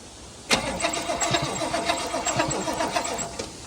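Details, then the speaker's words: Toyota LN65 Hilux 253 V8 after a decade sitting, even cranking, never firing; no spark, traced to corrosion on the distributor points and contacts. "I've jumped up the front of the old girl and I've got the distributor cap off. And we had a bit of corrosion in the points and the contacts down here."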